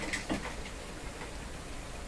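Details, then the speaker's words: 60-year-old Admiral 5E38X five-tube clock radio: faint dry ticking and a light buzzy chatter from the clock motor, caused by worn, loose shaft bushings, probably in the motor. "So I'm sure you can hear that sound. So that's the sound of a worn out clock."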